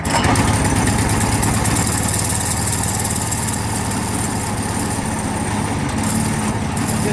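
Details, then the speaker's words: Small single-cylinder go-kart engine, restarted after sitting 15 years: chugs unevenly at a fast idle, with the load surging about three times a second as the centrifugal clutch grabs and releases; idle speed set too high. "like that our baby's alive so you can see what it's doing is it's grabbing and letting go what I need to do is I need to tune this down a bit"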